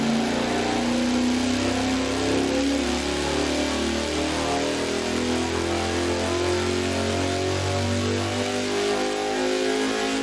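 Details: 514 Big Block Ford on the dyno with MSD Blaster coil and new spark plugs: smooth, steady full-throttle climb without breaking up, from 3700 rpm; 648.2 lb-ft torque, 633.2 hp peak.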